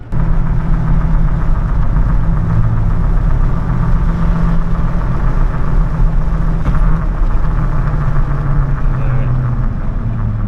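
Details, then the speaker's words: Chevrolet Silverado truck cruising on stock-style 2018 factory wheels and tires that replaced noisy previous tires: steady low, smooth road rumble with no hum or whine, a night and day reduction in road noise, though it may still pick up wind noise. "Alright, so just getting the truck out for a little bit, and it's night and day difference on the noise from the road noise."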